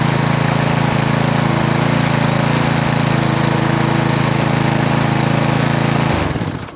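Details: Lawn mower Briggs & Stratton 8.50 OHV engine, hard to start after hitting a rock or stump, running after resetting the flywheel-to-magneto air gap: steady, even low thump, no misses or knocks, until shutdown; no internal damage, fixed.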